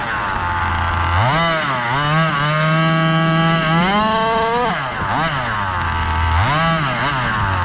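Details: Gas-powered Rovan Baja 5B 1/5-scale buggy, test run after a crash rebuild with a new differential: sharp two-stroke buzz through repeated throttle blips, no misfire or rattle. Running normally.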